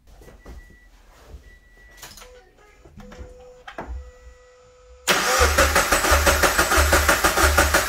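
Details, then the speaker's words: 2013 Scion FR-S after swapping in a used engine, first start after oil priming; it catches at once into a steady, even idle about three pulses a second with no knocks or weird noises: normal start and idle. "sounds good we're just topping off the coolant now no weird noises so far"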